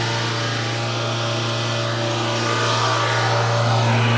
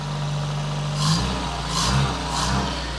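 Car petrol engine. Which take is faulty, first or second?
first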